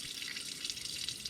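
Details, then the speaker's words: Lochinvar Shield SNR 126-065 commercial water heater, front panel off: steady hiss and trickle of running water as the secondary union next to the pump union leaks onto the electronics, shorting them. No burner or fan noise. "as you can see the secondary union which is located right next to the other one has the same exact problem over time it starts leaking and it creates"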